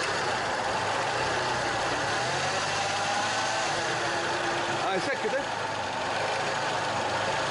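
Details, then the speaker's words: Peugeot 406 petrol at idle: constant rough whirring growl over the engine, which the owner suspected was the power steering pump or alternator. AC compressor clutch bearing noise; it goes quiet when the AC is switched on. "طبعا الصوت فيه في القطعه هذه اللي هي نتاع الرولمون نتاع المكيف ونوريكم في المكيف كيفاش يكون الصوت نتاعها"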